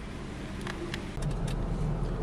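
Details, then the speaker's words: 2007 Jeep Grand Cherokee with intermittent radio flicker: the engine rumbles steadily while sharp clicks come at irregular intervals, seemingly from the dashboard; the source of the repetitive clicking is not yet found, and the external fuse box is to be checked. "escuchar esto l clic clic clic como que está el tablero no estoy seguro sobre el capó"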